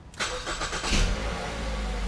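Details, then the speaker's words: 2008 Ford Fusion with a salvage title, started with the AC off: quick crank, then a smooth, even idle with no knocks or squeals; it later idles hot at about 700 rpm; normal engine start. "sounds good sounds normal"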